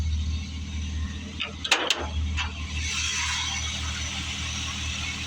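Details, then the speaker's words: 1978 Ford F-150, 351 V8 with 650 Edelbrock carburetor, out for the first time in 2025, hood open: low steady V8 rumble at idle, a few clanks from hood handling; idles evenly and sounds healthy. "So, my 1978 F-150, I have it here idling."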